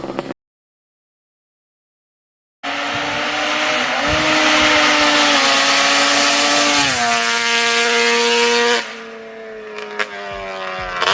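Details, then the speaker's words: Grom with a stock Banshee engine swap (pipes, porting, heavy-duty clutch), on a top-speed run after clutch work. Going over a hill under load, the revs flare up without matching pull: clutch slipping. "alright so I don't know how well you guys heard that but going over that Hill you can definitely hear the clutch is slipping when the engine just sees more load it wants to slip the clutch"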